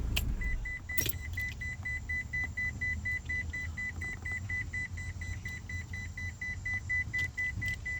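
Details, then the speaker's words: 2001 Ford Escort ZX2 idling: steady high-pitched chime about twice a second over a quiet idle, caused by the headlights being left on. Headlights-on warning chime. "Oh, it's cuz the lights are on. Yeah. Sometimes sometimes my own stupidity Yeah, that was that was just cuz I had the lights on."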